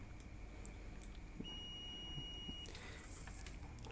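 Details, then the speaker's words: Digital multimeter for laptop repair set to buzzer/diode mode, probes touched together: one clean high-pitched beep lasting just over a second. Multimeter continuity beep. "Oh ya, yang namanya buzzer itu atau dioda mode itu ketika probe-nya disatukan itu akan terdengar bunyi buzzer."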